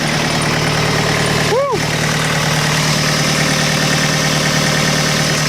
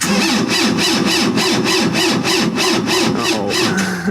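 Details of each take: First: Tractor diesel at about minus 25°C, just started and warming up, having dropped from high idle to lower idle: steady, low clatter holding an even idle with a brief chirp over it; normal cold idle. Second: Preheated engine cranked at minus 25°C in extreme cold: heavy, labored cranking about three pulses a second with a whine on top, turns slowly and never fires; owner blames the cold and suspects possibly gelled fuel; no start.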